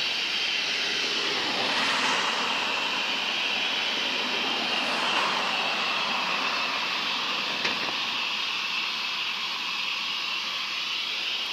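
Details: Continuous high-pitched squeal from the Sinfin, Derby (UK) waste incineration plant, steady over a hissy outdoor background like steam venting, recorded from the closest point to the noise on the evening of Sunday 6 May 2018; cause unclear.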